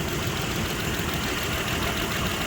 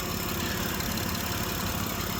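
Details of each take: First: 2006 Mitsubishi Pajero 3.8 L, code P0304, hard to start that morning: steady but lumpy idle with cylinder 4 misfiring. A coil swap points to a faulty spark plug in that cylinder, not yet confirmed. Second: 2006 Mitsubishi Pajero 3.8 L V6 idling after fixing a P0304 single-cylinder misfire: smooth, even idle with no stumble and no check engine light; normal idle after repair.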